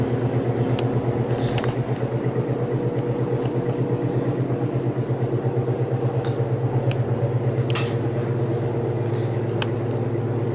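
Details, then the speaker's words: Vintage GE F11W16 box fan on low drawing about 1.96–2 amps: steady loud motor hum with no speed change; owner believes an out-of-round rotor makes the motor run hot, around 160°F. "this fan definitely is a little bit louder as far as the motor is concerned than the other one like if you're running this upstairs you can hear this motor humming through the floor"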